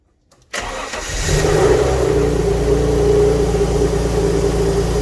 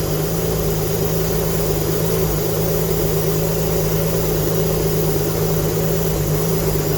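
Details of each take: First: Alfa Romeo GTV V6 first full start after mechanical restoration, awaiting a new exhaust gasket; engine settles into a steady fast run with rapid puffing chuff, exhaust blowing at the unsealed joint, smoke from oil burning off; exhaust leak. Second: Alfa Romeo GTV V6 after mechanical restoration, first proper start, some smoke from unburned oil burning off; smooth, even idle with steady low drone, no knocks, misses or rattles; healthy normal idle.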